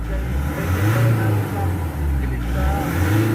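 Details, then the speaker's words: Nissan NV350 diesel a few minutes after the engine treatment, idle recovered to about 1,200. Revs climb and fall smoothly with each throttle blip and no knock is heard; the engine responds cleanly and sounds healthy. "Yung pag ano mo lang, yung Boom! Magkasulit. Revolution, wala na, recover na siya, 1-2."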